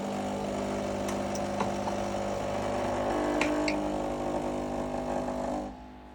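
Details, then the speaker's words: Krups FBB14500M bean-to-cup coffee machine after repair of the "unplug appliance" error, powered up showing "preparing": steady pump hum with light rattles and clicks, running evenly then stopping; normal preheating, which it would not do before. "As before, it was just telling you to unplug the unit, so that's a good sign. It's preheating the unit, wasn't doing that before."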